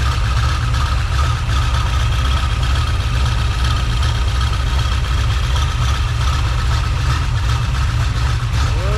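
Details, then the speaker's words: Freshly rebuilt small-block Chevy 350 (roughly 355) on first start, still cold: a steady idle around 750 rpm with even firing, good oil pressure and no tapping or knocking. Normal idle. "yeah oil pressure dude look at that fantastic idling in about 750"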